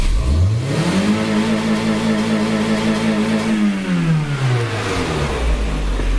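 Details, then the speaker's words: Cheap 360,000 km derby race car with leaking frost plug, restarted with foot hard on the gas: engine pulls cleanly from idle to a high steady rev, holds, then drops back smoothly, no misses or knocks; runs well. "But as you can hear, she runs mint as. I didn't even start that properly. Let me start that again. Foot hard on the gas."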